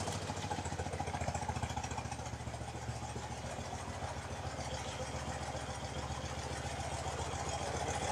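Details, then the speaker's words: BMW R90/6 Airhead flat-twin after a top-end reseal with one valve and guide replaced, idling and checked by stethoscope: a light, even tick of three or four a second on one side only, over a lumpy idle. Top-end ticking, cause unconfirmed. "so I can hear a tick tick tick here on this side which is not present on the other side but at the moment it really doesn't sound all that terrible"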